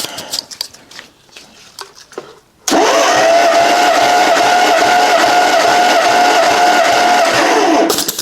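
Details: 1956 Dodge 230 flathead six on an engine stand, warm, cranking for a compression test with plugs out and throttle wide open: smooth, steady starter whine for about five seconds with no dragging; readings about 135-140 psi, even.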